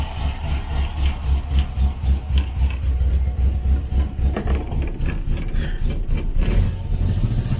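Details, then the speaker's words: 1968 Morris Minor 1000, cold first start of 2023 after winter with choke on: lumpy uneven running with dropped, stumbling pulses; misfire, ignition leads being checked. "thank you [Music] we are having a misfire I'm just gonna check the [Applause] the leads"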